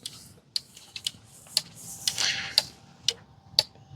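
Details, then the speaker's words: John Deere zero-turn mower relay on a bench relay tester powered from the battery: crisp clicks about once a second as it switches on and off. Normal relay clicking; relay good. "see you hear it there by the mic it just flicks it on and off it tells you that is good if it's red it's bad"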